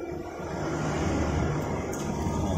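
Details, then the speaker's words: Honda Scoopy SP after repair, previously would not crank by starter despite a normal battery, suspected CKP sensor: engine catches and settles into a steady even idle; the fault was a loose/shorted wiring connector, not the CKP sensor. "nyala ya jadi masalahnya cuma di sini bukan di sensor ckp nya ya"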